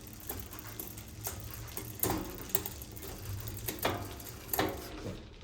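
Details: Bicycle rear derailleur after adjusting cable tension with barrel adjuster: crisp single clicks as chain drops cog by cog over light freewheel ticking, stays on each gear with no skipping or grinding; downshifting is clean.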